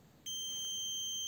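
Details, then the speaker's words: Car starter motor brush holder tested with a multimeter between a positive brush and the terminal: a sudden steady high-pitched beep that holds shows continuity, so the brush holder is in good condition. "Se escucha el sonido en el multímetro y también aparecen los números en la pantalla, que significa que si hay continuidad."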